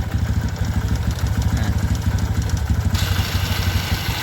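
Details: Carbureted Kawasaki ZX motorcycle whose idle stays high and won't adjust with the idle screw, also hesitates, worse when hot; quick steady exhaust thumping at raised idle that never drops, before carburetor work; high idle.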